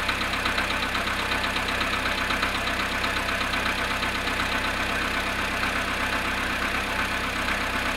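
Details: Volkswagen Polo sedan at -1°C cold idle after standing 19 hours: steady fast ticking knock, about 160 per minute, over an even engine hum; cold-start engine knock, cause unknown.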